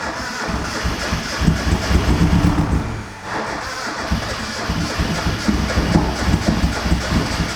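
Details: Rebuilt high-compression turbo Mazda Miata after mechanical and base timing were set and the downpipe fitted: lumpy, stumbling idle that sounds down on cylinders; compression test showed 200 psi on some cylinders and zero on cylinder three.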